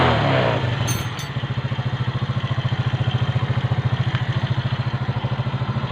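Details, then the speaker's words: Kawasaki Fury 125 motorcycle that wouldn't start after rain: after carburetor cleaning and replacing a burnt spark plug, it runs with a steady, even idle and no misses. "Umandar na siya mga boss."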